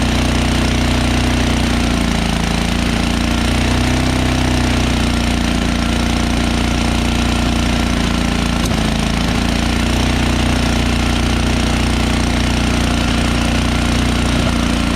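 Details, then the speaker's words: MTD Yard Works Tecumseh 13HP 33-inch snowblower, first start in a couple of years, cold after choke: single-cylinder runs fast and loud with slightly uneven beat, almost stalled when choke moved to run; cold engine stumbling, high idle. "when i just turned the choke from choke to run i just did it one swipe and it almost stalled so it needs some time to warm up a little before i can take it all the way to run because i haven't run in such a long time"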